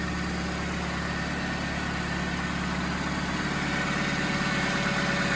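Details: 2005 Chevy Malibu 2.2L, over 250,000 miles, first start after head gasket replacement: steady, even idle with smooth low rumble, no knocks or misses; normal idle.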